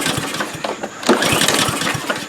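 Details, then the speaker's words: Troy-Bilt TB240 mower with Honda GCV160 engine, fuel of unknown age, fuel valve open, oil present: repeated pull-cord cranking bursts fade without catching; clearly won't start. "All right. It clearly does not wish to start as the as we had known."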